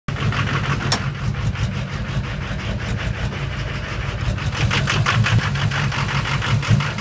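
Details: Low engine beat with an uneven, stumbling rhythm and skipped pulses at idle; owner suspects bad injectors since there is no black smoke, unconfirmed; engine misfire.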